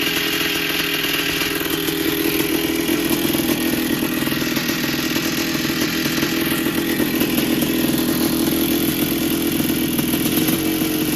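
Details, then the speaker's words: 1982 Yamaha YZ490 two-stroke after rebuild with new bottom-end bearings and seals and new air cleaner: steady crisp buzz at fast idle, even firing, no bottom-end rattle or knock; quieter than before. "Sounds pretty good. Sounds a lot quieter than before. New bearings."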